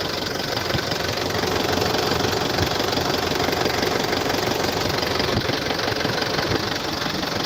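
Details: 2014 Isuzu D-Max 2.5 VGS diesel pickup, 70,000 km, first cold start of the morning: even diesel clatter at steady idle, about three beats a second, no misses or surging, no smoke or vapour; healthy idle.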